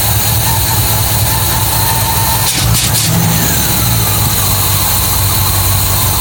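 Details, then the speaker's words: MGB GT V8 just after its first start in neutral, at about 400–500 rpm with 40 psi oil pressure: a low, uneven burble with a brief blip, hunting and stumbling. No air filter is fitted and the carburettors are unbalanced. "thing, so still running very lumpy. Oh, I didn't find it running that bad. Got no air filter on it. I haven't balanced the carbs,"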